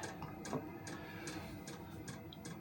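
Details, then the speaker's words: HCalory HBS1S 8 kW diesel heater warming up, room below 10°C: soft even ticks about twice a second over a quiet fan hum as the pump doses diesel; normal fuel pump ticking. "So, it's starting to pump the diesel through."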